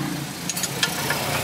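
Even, steady idle with a smooth low hum; no knocking or rattling stands out, so the engine sounds healthy at idle.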